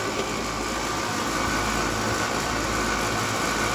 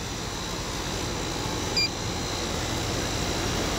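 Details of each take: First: Two-ton apartment AC condenser, system equalized, capacitor tested good, booster fitted: only steady fan rush and electrical hum, compressor never kicks in; compressor fails to start, whole condenser to be replaced. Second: Apartment two-ton AC condenser after swap-out for a dead compressor: steady, even fan whoosh over a low compressor hum, with no knocks, rattles or surging. Superheat is 11.5, subcooling about 7, indoor about 80°F with a 20° split. Running normally.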